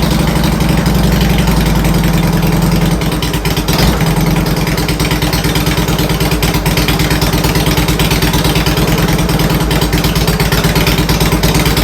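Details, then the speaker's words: Harley-Davidson Twin Cam after installing Accel coil-on-plug ignition replacing the stock coil and plug wires; loud steady V-twin idle with a deep lope, no misses or knocks, running properly after a clean install. "Clean install. And it worked great. Sounds good."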